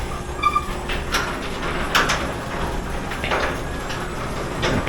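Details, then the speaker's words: Genie model 1055 belt-drive garage door opener, opening the door via a newly fitted Series II wall console in a cold garage: steady motor drone with light rattles as the door travels up, no straining; healthy operation. "so I just going to push the button and see what happens first okay so it is opening the"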